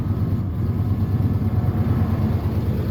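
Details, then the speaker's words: 1996 Ford F250 light duty, about 326,000 miles, code P1351 pointing to incorrect ignition control module: starts easily but deep idle keeps stumbling with dropped beats; misfiring at idle, worse under load. "so it'll crank right up like so but did you hear that it's misfiring at idle yep there it"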